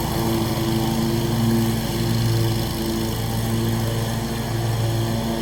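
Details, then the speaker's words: Scag mower with a brand-new Briggs & Stratton engine, blade belt reinstalled to test the blades: steady, even drone at constant pitch with no stumbling or knocking; normal running. "Alright guys, well there you have it. Running good."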